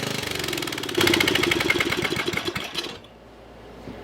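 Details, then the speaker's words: Murray riding mower single-cylinder after freeing locked engine, exhaust removed due to smoking: loud harsh uneven open-exhaust barking, runs a couple seconds then dies; stalling possibly from low fuel. "I fired this thing back up I got my ear protection on - this is gonna probably loud"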